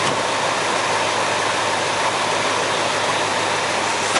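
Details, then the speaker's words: 1972 Ford Mustang 429 CJ V8 with a mild cam, still clearing carbon after years sitting, recorded on a small camera mic: a steady, even idle roar with no misses or knocks; it idles smoothly. "you know, she sounds really good. She idles really nice. Not like some of those really low-B cams. It's really pretty mild."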